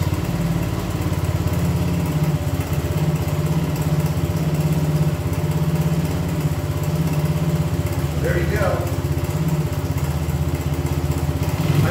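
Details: 1975 Honda CB125S, barn-stored, first start in 15 years: small single thumping at a low, fairly steady idle with a slightly uneven beat; it runs but still needs timing and tuning adjustment.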